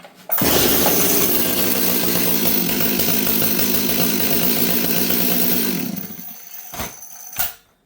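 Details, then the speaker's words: Old Stihl 026 chainsaw, started after sitting three days, following about a month of repairs for not running: strong, steady two-stroke howl holding even speed about five seconds before shutting down; runs noticeably better, normal running. "But what I'm saying is, friends, is I now notice this saw, it runs noticeably better. And it seems to be good."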